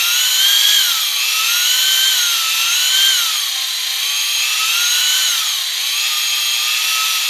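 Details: Fresh Ford 300 straight six for a 1954 International R100, before first start, oil pump primed with a drill in the oil pump drive, no gauge: drill whine repeatedly sags in pitch as it bogs under load, pushing oil pressure through the engine.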